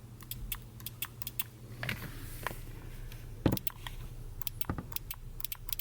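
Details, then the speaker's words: 4L80E transmission brake mod: push-button relay on 12 V key-on source grounds 2-3 shift solenoid to command third gear; sharp dry relay clicks with each button press over faint low hum; relay switching normally, solenoid heard engaging under truck. "so I'm gonna put the key in the ignition because that's powered on a 12-volt Keyon source you'll be able to hear the relay click when I push this button"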